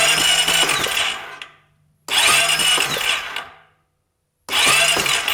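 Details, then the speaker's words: 2008 Honda Rancher 420 ATV with a new ignition coil and the old plug, cranked for a spark check: three short cranking bursts with even churning, no catch or firing; crank no start, no spark. "here we go not seeing anything are you guys no spark"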